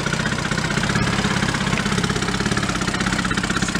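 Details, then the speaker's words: 1937 Sears Water Witch 2.5 hp two-stroke outboard, 83 years old, revived from a shed, running in water with the mixture needle at about one turn out, no oil cloud. A steady, even idle popping about four beats a second with water splashing: healthy idle. "not bad not bad even the water's not all that gooey or nothing i'm not putting a cloud of oil on it nice runs pretty good"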